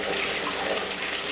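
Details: Bucket blaster keg and fermenter washer for a brewery, just switched on: steady rushing spray draining back down, uninterrupted flow, no pump whine or grinding; running normally.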